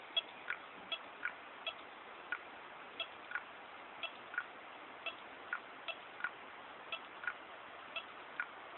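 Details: New Seagate ST9320421ASG 320GB drive during a full antivirus scan while moving large files to a network folder. Sharp, light clicks about twice a second over a faint hum; cause unclear, firmware later updated to DE17.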